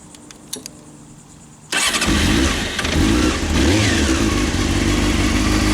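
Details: 1998 Honda CBR F3 motorcycle started outdoors after oil change with fresh 4 quarts oil, new filter and crush ring: quick crank and catch into steady even idle, no knocks or rattles; normal start and idle.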